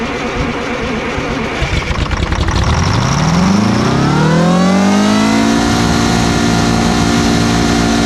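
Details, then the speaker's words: 8V71 two-stroke Detroit Diesel with racks tied at full fuel: engine screams up in pitch, then holds a steady, uncontrolled high howl in full runaway. "okay so the racks are tied at full fuel she's in full-blown runaway mode as soon as it starts it's gonna go"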